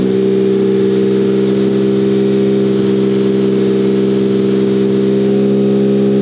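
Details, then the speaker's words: Turbocharged buggy, ice-cold engine after setting the fuel level lag factor to maximum smoothing: steady, even idle hum at constant pitch with no stumbling or dips; fires right up and idles better than ever before. "it's very successful you can see it fires right up it idles better than it ever has before"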